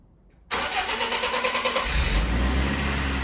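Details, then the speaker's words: Restored BMW E36 after a new battery is fitted: a brief crank, then it catches cleanly into a steady, even idle with no misses or knocks. The fan started immediately; owner suspects the viscous coupling. "Wow, sounds fantastic."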